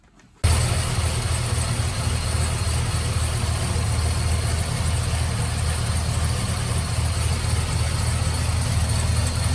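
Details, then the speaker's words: Trailblazer SS with supercharged LSA on an LS2 V8, after a new Continental Elite quiet serpentine belt cured a belt chirp: steady, even idle with a deep rumble and no chirp or squeal; only header, cam, rocker and possible coil pack noise remain. "this there you have it engine silence has been restored"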